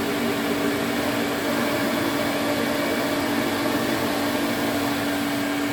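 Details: 1980s Electrolux Twin Turbo 500-series exclusive (1988 Z517 or 1989 Z521) with a 550 W motor, on a quick run test. Smooth, constant mid-pitched motor hum with airflow rush and no rattles or speed hunting. Motor runs healthy and suction is good.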